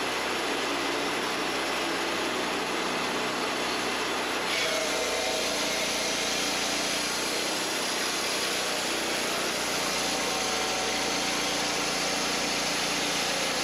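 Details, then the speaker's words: Wood-Mizer LT40 Wide sawmill cutting an old, very dry spalted maple log: steady saw roar with a thin grinder-like whine, because the dry wood heats the band and dulls it faster. "you can hear it kind of wind a bit there it's almost like a grinder sound that's because this wood is just that dry and when it's when it's dry like that this is what it sounds like and it will heat your band up it will dull it faster"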